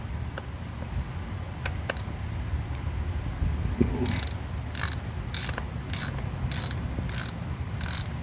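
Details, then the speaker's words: 2012 Ford F-150 3.5L EcoBoost twin-turbo 4x4: sharp ratcheting clicks about twice a second over low rumble from the transfer case, found with no fluid; fix is drain and refill with Mercon LV. Transfer case ratcheting from low fluid. "yep there is no fluid this was the noise coming from so the noise coming from the tricep case"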